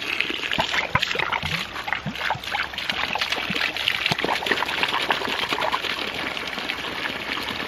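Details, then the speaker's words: 1-inch ram pump restarted after sitting through winter, supply pipe from a bucket: irregular gurgling and splashing bursts as trapped air is pushed out of the supply pipe; flow rate rises once the air is out. "so for the next minute or so it's going to be gurgling as it pulls more water through and pulls the air bubbles out of here"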